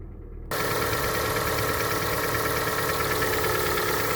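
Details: Hyundai ix35, 101,000 km, cold start at cold idle: light, uneven tick about three to four per second over engine hum, quieter once warm but still heard when driving; owner suspects hydraulic lifters, not confirmed.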